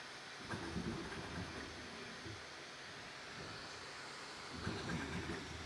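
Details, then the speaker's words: Bambu Lab A1 Mini Combo FDM 3D printer running its first test print after setup and bed leveling, printing faster than expected; even hum with bursts of quick stepper chirps, no grinding or skipping: normal operation. "So, that's the first test print going. And I have to say, it's printing a lot faster than I thought it would."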